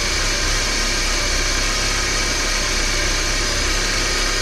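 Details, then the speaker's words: 1993 Porsche 968 3.0-litre after the timing and balance shaft belts were redone to fix a very noisy engine: steady fairly quiet idle, even hum with some hiss, no chatter from the front; much quieter. "well that definitely sounds a lot quieter"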